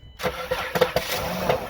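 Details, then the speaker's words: 2014 Dodge Grand Caravan, earlier diagnosed as a bad engine: right after start-up, a few uneven hollow clunks over the idle from the engine bay. Teardown confirmed a cracked flex plate/flywheel. "2014 Dodge Grand Caravan. Weird sound coming from the engine bay. Go ahead. You can hear the cluck"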